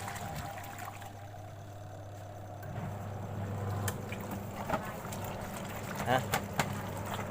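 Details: Top-load washing machine whose wash tub wouldn't turn (weak motor humming, spin tub fine), test run after fitting new capacitor: steady low motor hum, water churning, few light knocks; tub drives evenly without straining, repaired and healthy.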